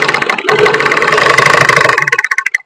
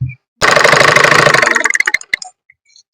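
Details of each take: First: Single-needle sewing machine after pressing the raised face plate down and tightening its screw: fast even needle-mechanism clatter at steady speed, then slows and stops; the knocking sound is reduced, smooth with no hard knock. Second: Single-needle sewing machine: fast regular ticking about three to four per second while running, slowing as it stops; the thread-carrying part moving down touches the face plate.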